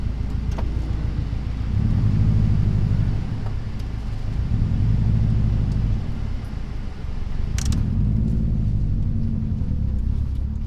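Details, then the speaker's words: 2004 Subaru STI, back on road after 2 years, still on old oil, ECU in learning stage (owner thinks it is probably pulling timing): deep rumble swelling through pulls at 9 psi boost, no knocking or rattles; runs healthy. "Well, it's happy and I'm happy. 9 pounds of boost and everything is looking fine."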